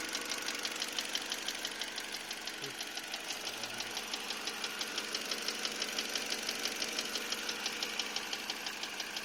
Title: Стук двигателя ,перекладка 4го поршня ?или пальца ?